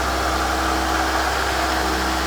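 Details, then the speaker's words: VW T4 diesel van left in a barn 7–10 years as a non-runner, first start: steady whirring tone above the idle throughout; the water pump is suspected, sounding not too pretty. "You can hear the water pump is not too pretty, if I'm honest. You can hear that whirring away."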